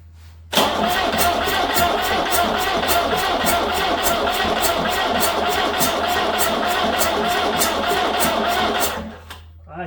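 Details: Diesel Peugeot 504 parked since 1987, fresh diesel, injection pump bleeding, brake cleaner sprayed in intake: steady starter cranking about three and a half beats a second for eight seconds, no firing; owner suspects stuck valves.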